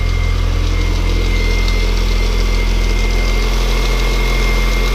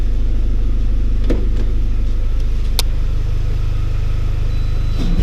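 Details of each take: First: R53 Mini Cooper S first start after supercharger replacement, about five seconds with no radiator or coolant: steady fast idle with a light metallic rattle from the unoiled chain tensioner and dry water pump. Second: R53 Mini Cooper S after supercharger replacement (old one failed, rattling, overheated via its driven water pump): smooth steady idle, quick rev with rising and falling supercharger whine, rattle gone, running healthy.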